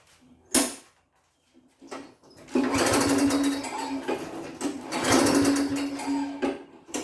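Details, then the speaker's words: Push lawn mower with an empty tank, refuelled and pull-started: a couple of cord pulls spin it with a brief whir but it never fires; cranks, no start. Owner suspects the carburetor jet. "[Music] all right well as advertised it doesn't start so let's take it apart and see what we find"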